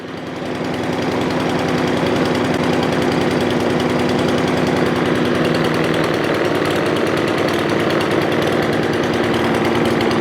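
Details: Craftsman M270 mower with 159cc electric-start engine (Chinese copycat engine), after a quick fix for a no-start: fires and settles into a fast, steady buzzing run with no misses or surging, running cleanly.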